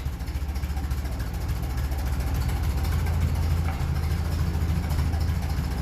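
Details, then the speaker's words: 1957 Ferguson 35 TVO tractor idling just under 400 rpm, not yet up to temperature, after water distribution plate repair with body filler and re-flattening: slow, even low chuffing about three and a half beats a second, steady without stumbles; normal idle. "yeah that's under 400 shot say 400 that's the lowest should have"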